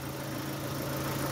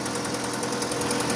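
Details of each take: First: Opel Astra G coupé Bertone after throttle body cleaning, before a short test drive; steady, even idle with a smooth low hum and no ticking. The earlier clicking has gone. Normal idle. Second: Opel Astra G coupé Bertone just after throttle body cleaning and intake refit (intake gasket still to do); fast light ticking, about ten per second, over a quiet idle right after start. Owner suspects a lifter needing to pump up, unconfirmed.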